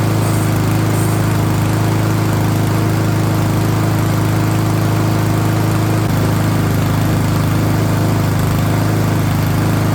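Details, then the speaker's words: Yard Machines by MTD mower, PowerMore 139cc OHV engine, after new spark plug and air filter, choke on, warming up before oil change: steady even single-cylinder putter at constant speed, no misses or knocks. "Yes, sounds like she's working perfect."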